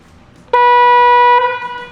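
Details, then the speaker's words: Rivian R1T stock horn with one of the pair disconnected: a single thin, nasal note of about a second with no deeper second tone; weak horn sound. "Oh my word. Nope. That sounds like what it feels like to honk the horn."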